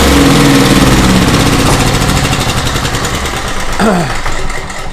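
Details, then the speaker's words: Small Craftsman single-cylinder portable generator, reassembled, cranked on choke: steady chug about four beats a second, even exhaust note, no knocks or misses; normal running (crankcase breather tube missing). "Now that I got everything back on it, I like to crank it one more time once everything is back together, just to make sure I'm good to go. So I'm gonna crank it one more time."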